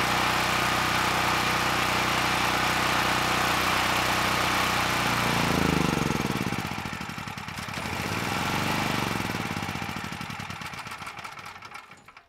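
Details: Honeywell HW5500 5500 W generator, 337cc, after new Hipa carburetor, good tank and replacement Predator insulator (had surged on choke, stalled off choke): even steady drone with no misses, then speed sags and winds down to stop; normal running.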